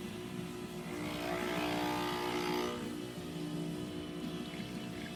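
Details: Breville BES870XL espresso machine after service and OPV adjustment for low pressure and slow shots; steady even pump buzz with low hum and brief hiss swell while pulling a shot, correct extraction pressure.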